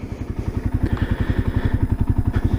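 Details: 1978 Kawasaki KL250 single-cylinder, idling before a break-in ride following a top-end rebuild with new rings; crisp, regular, steady thumps with no rattle or miss, no oil leaks seen. Clean, healthy idle.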